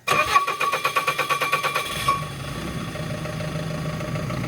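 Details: Machine (diesel) that cut out and wouldn't start, starting after a new fuel filter and priming to purge air: a couple of seconds of pulsing cranking, then it catches cleanly and settles into an even, steady idle.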